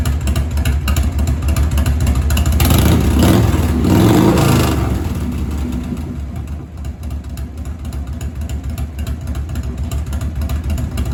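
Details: 1997 Harley-Davidson Heritage Softail Classic, 80-inch Evo, new S&S Super E carburetor, after turning the too-high idle screw down: brief blip, then a steady, even loping idle of about three beats a second; normal idle.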